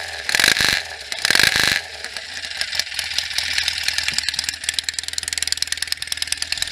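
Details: 1967 BSA A65 Hornet 650 twin after a full engine rebuild (new pistons, rings, bores, valves, guides, electronic ignition), after sitting 43 years; warm day, only a few minutes' run time. After two short blips it settles into a steady idle with light tappet clatter, starts easily, no issues heard.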